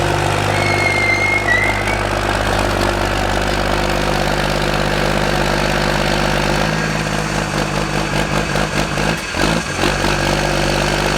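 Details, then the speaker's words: 2000HP Cummins diesel drag truck moving under its own power for the first time in about a year and a half. Uneven, stumbling idle pulse with irregular clatter; owner says it's not running right, cause unknown. Rough running. "Wow, I know it's not running right. Man, that sounds cool."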